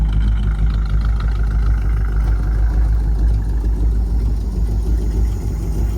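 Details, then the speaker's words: 1954 Cadillac V8 on a borrowed 12 V battery, fluids unchecked: deep, even, fairly quiet rumble with no knocks or misses. Normal idle. "Sounds good. Sounds better than the 59 does. The 59 sounds pretty bad. This one's at least a little bit quieter."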